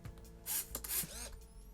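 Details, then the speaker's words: Yashica Microtec Zoom 90 (Kyocera Lynx 90) 35mm point-and-shoot: soft mechanical shutter snap, then brief rising motor whir as film winds on; relatively silent, normal shutter and advance. "what i do like about it though is the shutter is actually relatively silent"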